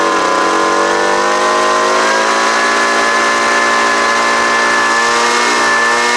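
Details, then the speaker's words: Homelite UT09250 two-stroke after carburetor work: a steady, even buzz holding constant speed without surging or stumbling; the engine is running properly. "so that sounds pretty good right there see if it'll crank up again"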